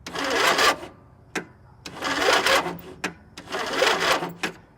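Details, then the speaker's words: Lawn mower engine cranking on its own weak battery before hooking up a jump starter: three slow, labored cranking surges about 1.5 s apart, never catching; owner says this is really common for this battery. "Not really a whole lot, and this is really common for this battery."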